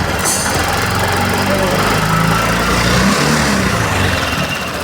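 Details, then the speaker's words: TVS Jupiter 2025 BS6 scooter at 1,984 km, customer complaint of engine noise: fast, light ticking rides over the idle and keeps pace with engine speed; tappet noise, loose tappets need adjusting. "टैपिड no आ रही है देखो मैं साफ को आवाज सुनाता हूं engine में क्या आवाज आती है"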